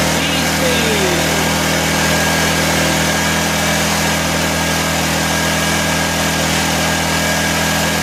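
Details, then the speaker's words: 1984 Honda EM600 generator on a cold start: steady, fast, high-pitched drone with no rise or fall, well above governed speed. Engine overspeed; the fine-tune adjuster knob did little, and a throttle issue is suspected, not confirmed. "this thing is running too fast so I suspected there was gonna be issues with it because the guy mentioned something about it"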